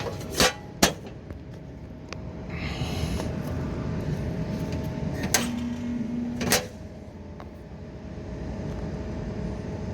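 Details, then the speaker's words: Old Comfort Star R22 split system, not cooling, after breaker trip, capacitors good, 212 V supply: click, short strained low hum about one second, clicks off; compressor locked, won't start. "Compressor didn't sound like it wanted to start. Yep. Okay. So let's see what we can do with the compressor."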